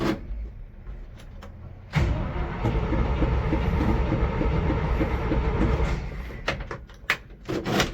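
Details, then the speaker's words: 1973 GMC 6500 grain truck with a V8 of about 420 cubic inches, reportedly very cold-blooded: steady chugging crank of about four seconds with no catch; won't fire, owner suspects the carburetor is far out of adjustment, later starts with starting fluid. "More than likely the carburetor is way out of adjustment, but what are you gonna do? Try again."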